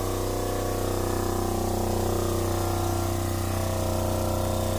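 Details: Newly installed Fischer Panda genset in a Tiara 34 boat, replacing the original generator locked up by water intrusion, pumping water: steady drone with a smooth low thrum and a constant water-pump whir, no knocks or hunting; healthy.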